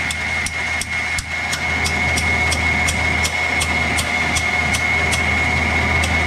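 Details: 1949 Pontiac flathead eight, abandoned with a stuck motor and some stuck valves. Slow, steady cranking with evenly spaced knocks about 2.5 per second as the starter labours on the tight engine.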